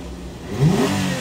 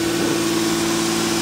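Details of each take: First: Toyota Camry 3.5, revived after a year by replacing ECU, smart key and steering lock: idle then a quick blip, revs rise smoothly and fall back evenly without stumble; normal throttle response. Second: Toyota Camry 3.5, idle for about a year, now starting after replacement of the ECU, smart key and steering lock; rat-damaged sensors give a check engine light. Engine still cold; steady hum idling too high and not dropping, possibly a leak, unconfirmed.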